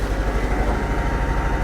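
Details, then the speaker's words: Jeep, recently rebuilt engine with a new camshaft and rockers, running rough and lumpy at idle, dropping cylinders and misfiring; oil in the spark plug wells is the suspected cause, not confirmed. "it's misfiring I have no doubt that it's misfiring because there's oil in the spark plug Wells"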